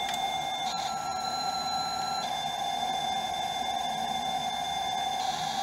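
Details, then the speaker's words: Amstrad CPC 464 tape deck (DataCorder) after repair and servicing, playing a tape with clean, steady data tones and brief pitch shifts over quiet hiss, no warble or dropouts; it is trying to load, a good sign. "yeah and hopefully you can hear that guys so and it's actually trying to load so that's a good sign"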